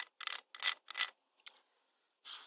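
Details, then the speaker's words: Honda Jazz/Fit gearbox on the bench, turned by hand. Short, dry, gritty rasping bursts from a knackered bearing where the speedo drive attaches; the gearbox is quite noisy and the bearing is worn out. "a knackered bearing as well. That's where your speedo drive would attach to."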